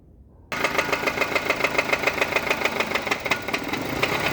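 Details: Nissan Sunny engine right after start-up: sharp regular tapping about three to four per second over the idle; cause unknown: engine knocking noise.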